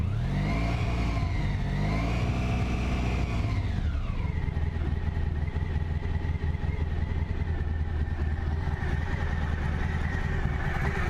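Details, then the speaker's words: Honda ST1100 motorcycle, warmed up after sitting a little: smooth, even rumble rises with a brief rev and settles back to a steady idle, no knocks or ticks. Normal idle and revving. "It's pretty solid. Maybe I say real solid."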